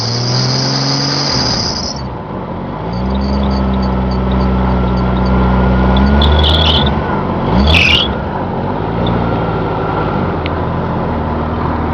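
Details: 1997 Jeep Cherokee Laredo 4X4, inline six-cylinder, at start-up and idle: high steady squeal over smooth idle, then fades; squeaking alternator belt that goes away after driving. Muffler also noisy, needing replacement.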